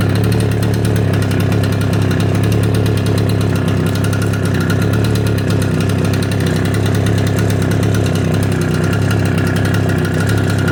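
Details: Echo PB770H two-stroke blower with a hot-restart problem, after an adjustment screw was backed off a quarter turn, restarted hot with no prime or choke: steady, even drone with no surging or stumbling; runs clean.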